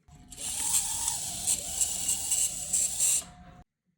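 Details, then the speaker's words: Tyco Mantua Alco C430 HO scale model diesel locomotive, torque motor; small motor whirs with thin piercing squeal from dry bearings before synthetic oil was applied, much quieter after oiling. "it was squeaking after I put the oil it was much quieter"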